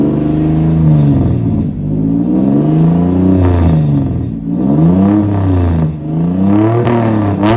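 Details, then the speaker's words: Warmed-up V6 in a Tacoma build revved after warming up; deep, loud exhaust note rising and falling cleanly with each throttle blip, no knocks or rattles, normal healthy engine revving. "I will go ahead and throw in a sound bite of it when it's warmed up so I can rev it up for you guys. I don't want to rev it when it's too cold."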